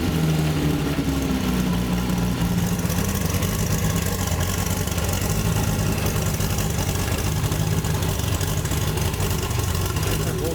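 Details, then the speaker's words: Chevrolet Opala SS turbo inline-six fired up after a long sit, with a repaired camshaft and new manifold: deep, steady six-cylinder idle with an even low rumble and no valvetrain ticking or knocking; normal healthy idle. "Let's turn on this Opala For the Americans to experience the power of the inline 6"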